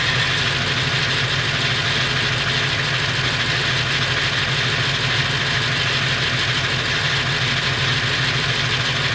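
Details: Late 1999 Ford F350, 7.3L Powerstroke diesel at idle: loud clattery idle with uneven metallic rattle about once a second, more pronounced under the truck; owner suspects flexplate or engine, unconfirmed.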